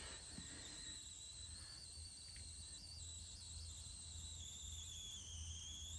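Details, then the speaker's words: Newly acquired arcade cabinet powered on: constant thin high squeal over faint hum, unchanging, with no game sound; squeal cause unknown, owner suspects sound amplifier chip or bad speaker for the missing sound. "But I hear like a little bit of a squealing sound, and I don't know what that is."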